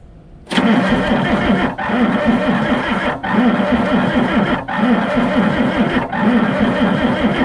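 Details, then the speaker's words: Diesel engine on a tipped-over off-road crane being recovered: several long cranking bursts of steady starter churn with pauses, never firing; fuel starvation. "this thing isn't getting fuel that pumps on it's got fuel in it yeah"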